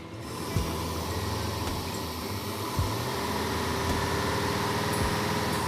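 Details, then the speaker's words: Dually truck engine revived after spark, compression and fuel checks, fuel burning off engine: rough uneven running with heavy clanks every couple of seconds, won't idle though holds RPM; no oil pressure shown. Engine knock with rough idle. "seems to hold RPM good. It just doesn't want to idle. >> Yeah, >> it's sounding pretty clanky now. >> I know. It got kind of knocky."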